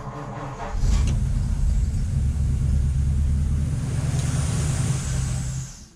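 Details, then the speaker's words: 1953 Ford Customline Club Coupe barn find, sat about 15 years, fuel rigged directly to the carburetor bowl since the pump isn't delivering: engine catches and rumbles unevenly a few seconds, then dies; starts but won't keep running. "we've got it started it's not running but it starts"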